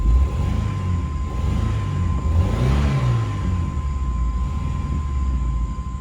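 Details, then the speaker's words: S10 pickup after new spark plugs idles unevenly with a low stumbling rumble, missing badly; owner fears a bad coil or possibly bad gas; clutch throw-out bearing also noisy. "ah we're missing it's missing pretty bad now i don't know what's going on i hope it's not the coil dang it"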